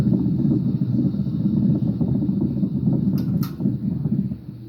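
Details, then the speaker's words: Hampton Bay Palm Beach ceiling fan, mic close, running on high: steady low hum with slight rough buzz, no knocking; the fan also wobbles and rattles at times, motor hum cause unknown. "It had a bit of a hum, and this one right here is the one right there."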